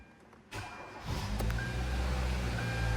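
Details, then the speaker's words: Kia Rio (2012–2017) 1.6L engine, first start just after installation, fuel pump primed by key cycling: short crank, then it fires right up and settles into a steady, even idle; healthy start. "Oh, okay, that fired right up. It's always a good sign."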